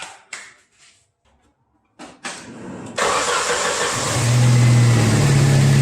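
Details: Jeep Wrangler YJ with TPI fuel injection, after a sputtering misfire traced to one bad spark plug, replaced and gapped: a few light clicks, then the engine catches and settles into a smooth, even idle.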